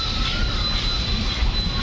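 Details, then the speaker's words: Ship's gym treadmill after repair of an E5 fault where it would not run: speed raised step by step while someone runs on it, giving a steady, even motor hum under soft footfalls with no knocking, grinding or squeal; runs smooth. "Pansin nyo, medyo smooth na talaga. Hindi pala medyo. Yung ingay na lang ng aking pagtapak yung naririnig ninyo."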